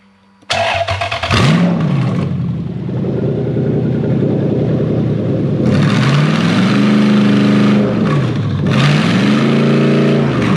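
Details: Toyota 3UZ V8 swapped into a 2005-2015 Hilux 4x4, after jumping 12 V to the airflow meter and clearing codes, catches cleanly, settles and takes several smooth blips without stumbling; normal start and rev.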